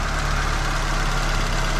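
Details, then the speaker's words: Carbureted Fiat Ritmo Abarth 125 TC restarted after long storage, idling. A light, quick tick rides over the low idle rumble. Suspected, not confirmed: exhaust-side valve shim clearance needs adjusting. "Il y a peut-être un réglage de pastille à faire côté échappement. On entend là. Tic tic tic tic tic tic tic"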